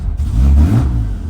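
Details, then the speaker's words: BMW E46 drift car with laggy throttle: a short rev climbs, then sags and bogs without pulling cleanly. A new mass airflow sensor did not help, a leaky injector was already fixed, and spark plugs are next. Cause unconfirmed. "But now, when I give it Exactly. It wants to bog out after it revs. And then sometimes it revs like crap and then it wants to bog down again."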